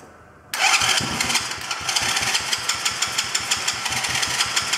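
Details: Chinese quad bike (black quad) starting with choke off, engine moving on loose mounts, battery going flat; owner suspects idle screw needs adjusting. Engine catches abruptly, then sharp popping bursts about four per second, won't settle: hard starting with popping.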